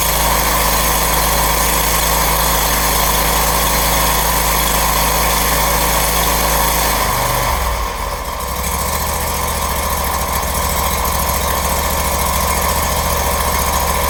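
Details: Brand-new Briggs & Stratton engine on a Scag mower, first start with choke on after oil fill: catches right away, steady even idle, then drops to a smooth lower speed; normal start and idle.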